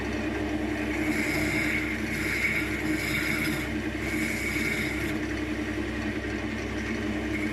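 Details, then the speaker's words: Wood lathe turning a thin-walled spalted beech mini goblet box: steady whirring cut with a ringing buzz; thin wall chatters because the tool is pushed too hard, fix is very light cuts and finger support. "very very light cuts maybe add a little bit of support for the mine don't have to push nog just enough you can hear that vibration"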